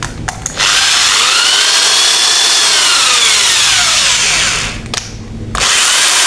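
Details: Modern M2130B electric drill, dead before, reassembled and tested in both directions on mains: steady high-pitched whine, smooth and even, with clean stops and restarts; running healthy.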